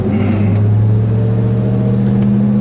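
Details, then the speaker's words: 1966 Dodge Charger with 426 Hemi V8 and 4-speed manual, exhaust recently changed to near-stock mufflers, recorded while driving: deep even V8 rumble pulling steadily under throttle, firm low drone, no blowing or ticking. Normal exhaust note. "So it's got the true sound to it. It's pretty close."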